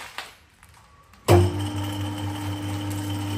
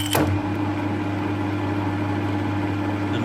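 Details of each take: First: Harrison 140 lathe with 3HP motor, new taperlock high-speed pulley (750 to 1000 rpm) and new A68 belts: motor starts with steady hum and faint light rattle from the copper clutch plate chattering on worn holes around hardened 8mm pins. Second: Harrison 140 lathe, 3HP motor, new taperlock high-speed pulley and A68 belts: steady even gearbox and motor hum with clutch engaged, no rattle since worn copper clutch plate is held; normal running.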